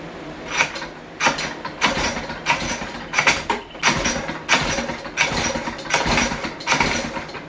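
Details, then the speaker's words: West Bend 580 two-stroke engine, sat idle several months, new recoil parts: uneven pops about every two-thirds of a second, sagging and catching again, never settling at idle; owner suspects dirty reed valves and carburetor. "So I think why it won't idle, because maybe these are dirty, or I don't know."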